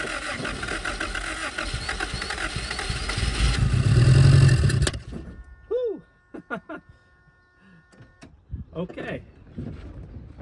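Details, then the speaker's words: 1977 Honda Civic, last registered 1987, first start in 37 years, no fuel system, fuel poured into the carburetor while cranking: catches with a loud uneven burst of firing building a few seconds, then dies away. "that's pretty good for no fuel system not touching anything"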